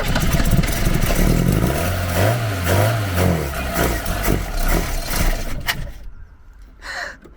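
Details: Garden-find Ford Capri, fuel put down carburettor barrel while trying to pull fuel up: uneven low chuffing pulses fading out without catching; coughs but won't start.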